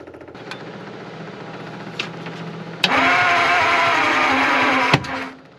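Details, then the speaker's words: 1950 Ford flathead V8, off the road 50 years, first start attempt: cranks with scattered pops and sharp bangs, sputters unevenly without catching; distributor installed 180° out, flipped afterward. "That sounds like distributors out, doesn't it? Let it. Oh yeah, distributors 180 out."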